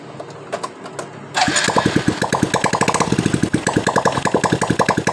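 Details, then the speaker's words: Revo Absolute motorcycle, engine cold (rough when cold, smooth when hot): starts into sharp regular metallic clatter on each firing pulse from the right-side crankcase; bearings and clutch housing checked normal, cause still being traced. "tapi ketika kita hidupkan tadi suara kasar itu terdengar jelas di bagian dari mesin kanannya ini"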